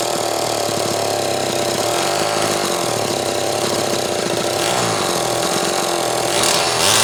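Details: Zama C2002 carburetor from a McCulloch Pro Mac 800, tested on a 54cc engine with different linkage and no idle screw, so it won't idle; needles turned in about half a turn; steady crisp two-stroke buzz, no bogging or surging; running fine.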